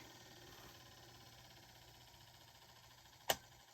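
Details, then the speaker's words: Antique GE 1/6 hp wound-rotor induction motor coasting down after being unplugged from 110 V on a Variac. A quiet hum fades, then one sharp click as the centrifugal switch closes: normal coast-down. "Listen to the wind down and the centrifugal switch."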